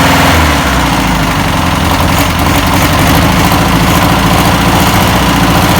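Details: 1962 VW Type 2 bus air-cooled engine, first start after over 40 years, with new belt, cleaned points and fuel poured in: loud, busy idle with quick, fairly steady chuff, no knocks or stumbles; normal idle.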